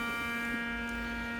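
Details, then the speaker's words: Fluke 6060B RF signal generator under repair, output monitored on a radio, modulation turned off: a steady, harsh buzz never changing in pitch or level; mains hum on the output, power supply problem suspected, not confirmed. "But listen to that awful noise and that's the modulation turned off. I had the modulation hear it 400. So, there's a big buzzing sound coming through the audio which is interesting."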